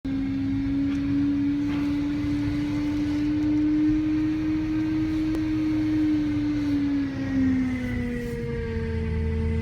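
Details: BMW E92 M3: steady whine holding one pitch over the engine, sagging slightly lower as speed drops; cause not evident by ear.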